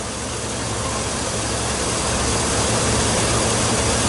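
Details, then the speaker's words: Chevrolet Silverado at idle: uneven, lumpy beat about four stumbles a second under loud rushing background; misfiring cylinder not found, secondary ignition scope shows good burn times. "everyone shows beautiful burn time but I'm definitely missing missing one"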